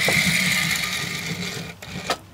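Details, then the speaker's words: Trix Collett Class 5600 2-rail model locomotive, a non-runner, first tried on a piece of track before servicing; a high buzzing whir wavers unevenly, then drops out and stutters in short bursts: motor running very roughly. "right it's running very roughly but at least"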